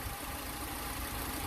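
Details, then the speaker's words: Car engine just started after refilling and bleeding the cooling circuit and refitting the damper pulley, waiting for the radiator fan to switch on: faint, even idle with low steady rumble, no knocks or rattles; normal idle. "Donc je viens de la démarrer. Voilà, elle tourne. Je vais attendre le ventilo jusqu'à ce qu'il se déclenche"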